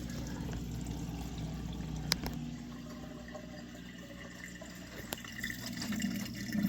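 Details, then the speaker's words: Dishwasher reported as not starting, now restarted by holding start 3 seconds then closing door: steady low drain pump hum with gurgling and a few clicks as it empties into the disposal. Pump normal. "one two three close the door and then it starts the drain"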